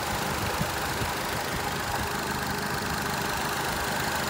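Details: 2008 Nissan Altima 2.5 S coupe, 214,000 km, jerking and possibly in limp mode: low continuous groan under steady idle from the engine bay, source uncertain; owner checks power steering, fears CVT transmission problem, not confirmed.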